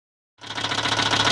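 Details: Volvo 850 Platinum turbo at idle: fast, sharp rhythmic metallic knock from start-up; owner says it is a rod, not the cams, and the engine needs new bearings.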